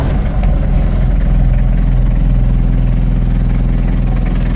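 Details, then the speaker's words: 1984 Ford Econoline diesel van, just bought, started after the glow plug light goes out; loud, steady low diesel clatter at an even idle with no stumbling, an old diesel running normally, just noisy. "he's running. And it's that freaking simple."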